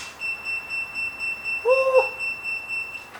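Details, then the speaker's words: Jump starter low-battery alarm: steady high-pitched beep about four times a second from the jump pack while trying to start a 1980s Honda Prelude with a period Japanese aftermarket remote starter; car had sat for ages, pack getting too flat. "the jump pack saying it's flat but I click that once it turned on waited for a couple of seconds and then went to start the car so that might actually be it I think the jump pack is getting too flat"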